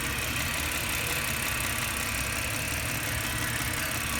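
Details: 2004 Ford Falcon (BA) idling warm with a fast, light ticking over the hum, heard mainly with the bonnet open and quiet from outside; otherwise runs fine, and the owner wonders if it is the fuel injectors.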